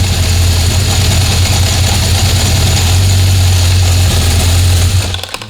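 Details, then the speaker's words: 1976 Honda CB750F1 during carburettor balancing, carbs levelled to within 2 Hg: steady, fast, even drone; the idle rose above the 950–1000 rpm target and must be brought down. "So the idle's gone up now, you've got to bring the idle down."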